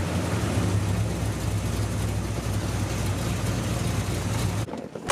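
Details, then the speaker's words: 1974 Corvette V8 that sputtered at the drag strip, warmed up: steady low idle with an even lope and no knocks or stumbles; runs really well. "it seems to be running really really good right now"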